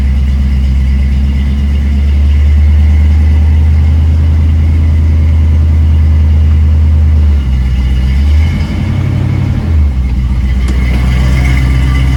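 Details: Ford Maverick automatic after installing and grounding a sensor pigtail (red signal wire, green and black ground) to fix a no-shift fault: steady engine drone, pitch drops in clean steps; transmission now shifting normally.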